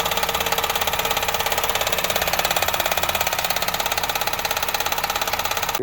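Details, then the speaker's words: 2007-11 Honda Civic with swapped JDM 1.8L R18 engine, missing motor mount, water found in oil: fast even tapping of two or three a second over the idle, a knock inside the engine; cause suspected, not confirmed. "Get it to my house, turn it on. Knock, knock, knock, knock."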